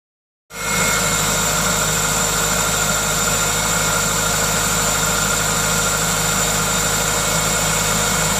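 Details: Toyota 2ZZ-GE engine: steady, even idle with a constant intake hiss from the aftermarket induction kit, no knocking or rattle; normal, healthy idle.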